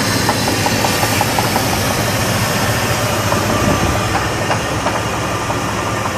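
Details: 2000 Jeep Grand Cherokee 4.7 V8 idling: light irregular upper-engine tapping with faint chirps and squeals over a steady rumble; a knock of unclear origin.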